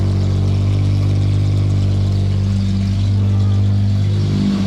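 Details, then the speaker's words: Jaguar XJS V12 running on its own after nearly two years off and a previous start that died instantly: smooth, even, deep hum with revs rising and settling cleanly and no knocks or misses. "18 months in the making this is, and it's running all on its own."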